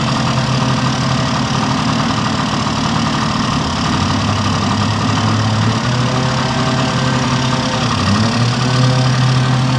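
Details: 1971 Yamaha Mini Enduro two-stroke after carburetor cleaning, muffler refitted with washer O-ring; steady even idle with quick pop-pop exhaust beat, no misses, settling smoothly. Normal two-stroke idle.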